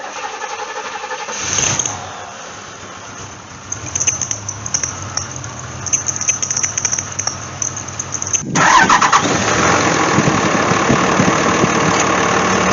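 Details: Cadillac CTS 3.6 L cranks, catches and settles into an uneven idle with a recurring stumble, a misfire on cylinder #1 before the spark plugs are changed.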